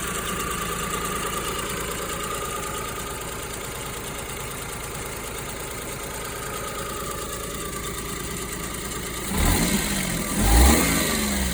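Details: Kei car after chemical treatment that fixed a knocking noise, owner suspecting coolant had entered the cylinder, checked half a year later: smooth even idle with a steady settled note and a quick clean rev; normal idle.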